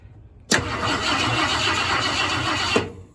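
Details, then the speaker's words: 1972 Ford F-100 Ranger XLT after sitting over 10 years, cranked by jumpering the external starter solenoid: two seconds of brisk, even cranking at about four beats a second, then a clean stop; starter turns engine well. "that sounds pretty good so it's cranking over"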